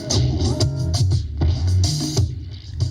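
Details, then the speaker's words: Panasonic SA-AK47 stereo cassette deck: in one tape direction only, music warbles with smeared, scratchy sound and unsteady pitch, clears after minutes then returns; belts not slipping, not the tape, owner unsure whether something slips or sticks. "if I leave that to play for a few minutes that will clear and it will start working okay and then it will come back again so I don't know whether there's something slipping or sticking but it just does it in that direction"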